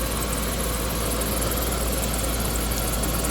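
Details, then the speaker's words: 2004 Land Rover Discovery 2, after cold start once the SAI pump shuts off and idle drops: steady, even idle with low rumble plus light belt and fan whirr, no knocks or squeals; about 50 psi oil pressure, no warning lights; normal warm idle. "Pump just turned off. So, now everything's quieting down and we just got normal belt noise, fan noise, engine noise."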